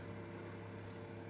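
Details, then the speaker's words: Newly fitted 12 V compressor fridge in a van, not yet boxed in (boxing in expected to cut noise): quiet, steady low hum with faint even mid tone, no knocks or rattles; compressor running normally, noise not horrendous. "you should cut some of the noise down that's not horrendous"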